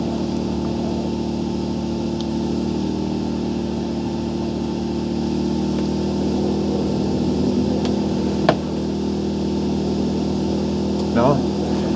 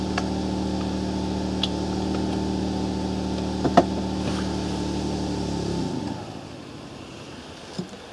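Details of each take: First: Portable generator (marked 0.8 kW, possibly about 0.7 kW continuous) powering one charger at about its maximum load: steady, even hum with no hunting or sagging; runs normally. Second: Portable generator charging an e-bike, with batteries then connected at the same time: steady drone sags briefly under the added load and the engine stalls within a second; can't carry the load.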